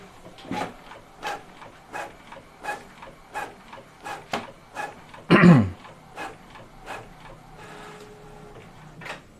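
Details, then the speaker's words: Epson L11050/L18050 printer printing five copies with quiet mode off: regular soft mechanical strokes about every 0.7 seconds with one louder paper-feed rasp; somewhat loud but normal operation. "yang agak keras tapi masih dalam kategori normal."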